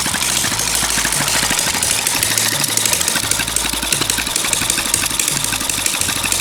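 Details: Long-unused small petrol water-pump engine, hard to start, finally started: fast, even firing with a busy rattly top end and no misses or stumbles; running smoothly and steadily.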